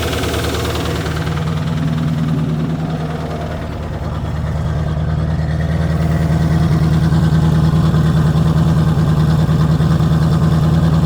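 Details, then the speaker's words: Chevrolet Corvette V8 after intake manifold work and full exhaust install: deep loping idle with an occasional uneven beat, a steady but not severe misfire; exhaust leak and clanking also noted, owner may pull valve cover. "Definitely got a miss. Not terrible, but it's got a miss."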